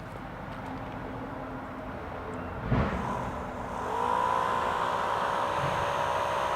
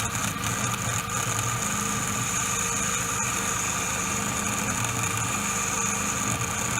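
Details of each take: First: Replacement 12 V fan motor for a 2004 Mini Cooper power steering pump, with thread locker and two washer spacers added so the blade clears the metal: after a knock it spins up to a smooth, steady whir, running normally. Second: 2004 Mini Cooper power steering pump fan motor, engine idling: a constant buzzy whine with a high hiss. On teardown the magnets had come unglued from the motor housing, with no adhesion left, causing the noise.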